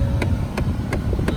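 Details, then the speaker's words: 2014 Ford Fiesta SE 1.6 idling, AC blowing cold on both sides: sharp, evenly spaced clicks about three a second from behind the glove box. A bad airflow-direction blend door actuator is jumping its gear teeth; it was replaced. "2014 ford fiesta se the 1.6 liter i'm doing the blender actuator uh right now the ac is blowing cold on both sides but the only thing is that the actuator make noise"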